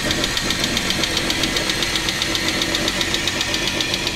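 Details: Chrysler 300M 3.5L engine running; sharp steady metallic knock about twice a second: internal engine knock, source not yet identified.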